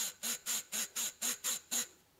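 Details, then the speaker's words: Volvo 240 worn propshaft centre bearing spun with cover removed: gritty, rasping hiss in quick bursts, about three a second; bearing to be replaced. "mon Dieu, nous roulions avec c'est ça qui fait du bruit pouvez-vous entendre que"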